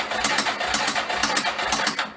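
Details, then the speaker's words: 1994 Yamaha Moto 4 350 ATV sold as having a blown engine: when the starter solenoid is bumped with a jump pack, the starter spins with fast, even whirring and quick ticks for about two seconds; electrics work, the solenoid is bad. "Okay, so electronics are working. We just have a bad solenoid."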